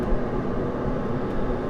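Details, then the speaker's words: HCalory 4.5 L toolbox diesel air heater (8 kW) ramping up from setting H8 toward highest heat 10; steady, even roar with constant low rumble, no surging or popping, burner running normally at full heat. "I don't know if you can hear it, but it's ramping up louder now."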